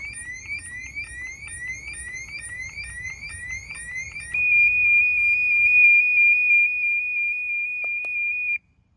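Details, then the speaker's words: Pool safety alarm dunked underwater in pool to trigger it: rapid high-pitched warbling beeps about three per second, then a steady loud high tone, heard from the floating device and the handheld monitor. "that's what it sounds like from the device and also the handheld part as well."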